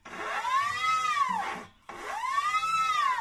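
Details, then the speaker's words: Haier front-load washing machine with front door, frame and front half-tub removed: scraping whine swells and fades about every two seconds with drum rotation; not tripod, shock absorbers or door seal — drum rubbing, cause not yet found. "还是有这个声音，对吧？那我们接下来再继续拆。"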